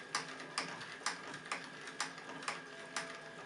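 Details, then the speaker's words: Live-steam model locomotive during pre-firing checks, idle lowered by adjusting the blower valve: crisp, evenly spaced exhaust puffs about two per second with no misses or hiss; a clean, steady slow idle. "la machine commence à ralentir progressivement on a donc ralenti qu'il ya déjà assez intéressant"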